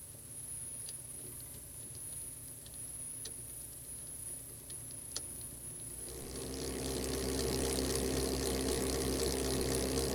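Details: Tsubaki low-noise drive chain on sprockets under a 1 kN load test, speed increased; low steady rush swelling with speed, no clatter or slap; about 66 dB here.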